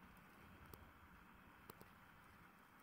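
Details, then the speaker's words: Wood-burning stove the customer thought was blocked, with a fire burning and no smoke escaping. A steady, unbroken rushing roar with occasional crackles and pops as it draws hard and cleanly up the very hot flue pipe. "But no smoke is coming out of there. And then what you do, I mean, obviously I wouldn't recommend touching that pipe, because it'd be red raw. As you can hear it. Hear it drawing."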